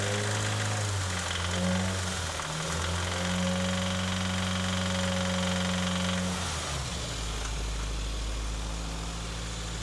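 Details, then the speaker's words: 2019 Subaru WRX with rod knock, contaminated oil full of metal: regular deep knock under idle, about four per second, changing with revs; planned fix is a factory short block, new oil pump, pickup tube, cam gears, gaskets and tune. "Right now it's got a rod knock, and we're gonna install a factory short block, and we're gonna do some preventative modifications so it doesn't happen again."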